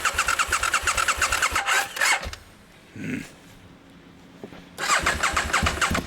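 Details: Aprilia Mille R on first startup: the engine catches and idles with a quick rhythmic ticking-knock about three per second. Source unclear.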